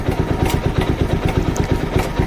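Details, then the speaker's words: TVS Apache RTR 200 4V motorcycle at 38,474 km: single-cylinder idle with a fast, light tick-tack clatter on each beat from a worn, loose timing chain. "ये देखो guys, ये sound है, ठीक है। ऐसी आवाज़ आती है टक टक, ठीक है। तो आप समझ लेना कि टाइमिंग चैन गई आपकी बाइक की, ठीक है।"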